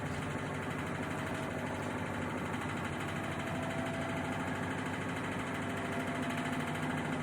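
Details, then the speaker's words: Samsung WW80TA046AX/EU 8 kg washing machine spinning with 7 items: continuous wobbling rumble, irregular rattle, squeaking and metal scraping across the drum, cause unclear. "So it made all the wobbling noises, it made all the squeaking noises, it made like the metal running across the drum as it goes."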